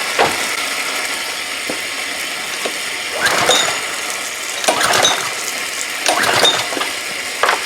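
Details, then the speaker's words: Old pressure washer small engine, long unused, carburetor corroded: three or four rattly pull-cord bursts, nothing catching; strong spark present, plug soaking wet; owner concludes it was flooded with too much gas. "I flooded it you know that's what really that's what happened that's what killed it so that's why I wouldn't start the first couple times I pulled it"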